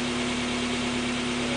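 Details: Mazda Miata (1990–2005) four-cylinder at steady even idle with constant low hum, no knocks or misses, just after timing belt and water pump replacement with accessories on; runs smoothly.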